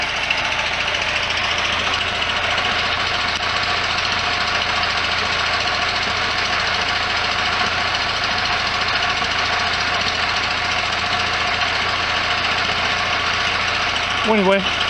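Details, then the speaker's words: 1973 VW Super Beetle air-cooled flat-four at idle after fitting a new stainless EMPI header; steady, even idle, smooth exhaust note, no knocks or misses, quieter than before; normal idle. "it is definitely quieter than it was before and I've said this in my other videos this camera does not actually indicate what it sounds like"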